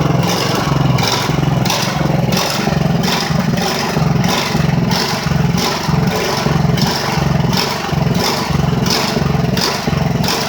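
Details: Ridgid generator, Honda GX390, restarted after repairs and months idle: revs rise and fall about 1.5 times a second, never settling. Owner says it shouldn't run like this. Engine hunting, cause unconfirmed.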